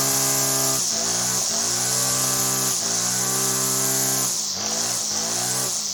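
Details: Salvaged Sterwins PBC1-26L-AB.2 26cc two-stroke brushcutter after cleaning tank and carburettor and adjusting the carburettor to stop it faltering: high buzzy note holding mostly steady speed with only brief small sags; runs cleanly and stably.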